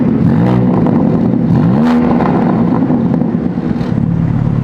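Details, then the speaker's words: Sports car in M mode with exhaust valves opened and factory burble tune: deep throaty exhaust swelling as revs climb and settling smoothly under light throttle; louder but normal, healthy exhaust note. "at the very last minute i figured out how to open the valves on the exhaust put this thing in m mode sounds a little bit better a little bit louder"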